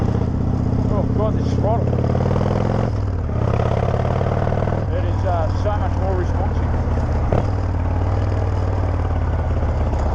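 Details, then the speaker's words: Harley V-twin just after an air filter change: even, lumpy idle with a steady beat. It idles and runs better and smoother. "God the bikes that sound so much better it's idling better just running better"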